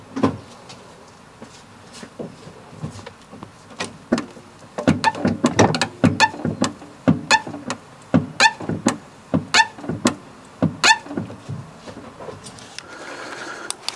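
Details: Fiat 500 1.2: short squeaks with clicks as the clutch pedal is pumped; suspected dry slave cylinder on top of gearbox under battery, to be greased with lithium moly grease.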